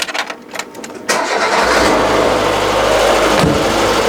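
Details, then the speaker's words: Citroën BX engine with accessory belts removed from hydraulic pump and generator to rule out water pump, idler or tensioner: starter churns, then steady even idle with the earlier grinding gone, suggesting the noise came from the generator drive; normal idle. "Yeah. And I can already now hear that it's way better."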